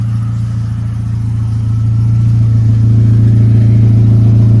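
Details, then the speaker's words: 1994 Saturn SL2 twin cam with new thermostat, idling: loud low rumble rising slightly with throttle, raspy puffing underneath; holed muffler leaking exhaust, replacement planned; squeak likely antifreeze on belts. "Yeah, so that's just the muffler. I'll have that replaced come probably Monday."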